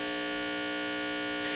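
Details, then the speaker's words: Unlabeled 1960s 6-inch student guitar combo amp, idle: steady buzzy mains hum caused by about 14 volts potential between common signal ground and chassis/house ground; grounding fault. "if you have potential between those two points um you're likely to get uh this sort of of hum okay obviously this thing is very noisy"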